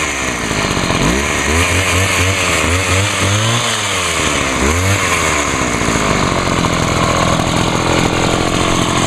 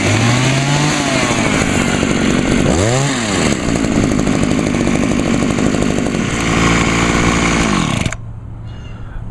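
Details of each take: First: Homelite HT-21 hedge trimmer two-stroke after carburetor rebuild with a kit and Sea Foam soak: fires and revs up and down in smooth swoops, then a steady buzzing run, surprisingly quiet with its small muffler; running normally. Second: Homelite HT-21 hedge trimmer two-stroke after carburetor rebuild, on 50:1 gas-oil mix: raspy buzz sags and stumbles when throttled, bogging on acceleration; owner suspects the carburetor needs adjusting, likely turning the L screw out a bit.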